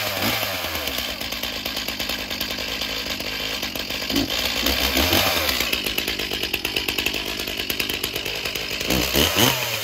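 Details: Stihl MS361 chainsaw after installing a Meteor piston and Caber rings, cold start on choke, chain brake on, no bar or chain: high-pitched two-stroke buzz at a fairly steady rev with small rises and dips; normal running.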